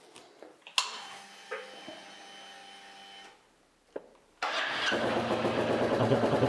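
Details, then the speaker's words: Royal Enfield 350 J-series single after fitting a TEC Stage 2 performance camshaft, first start with oil refilled: a few clicks, starter catches, settles into steady even thump; normal idle. "Just start it up and let it tick over for about 10-15 minutes just to do the auto adjust on the ECU."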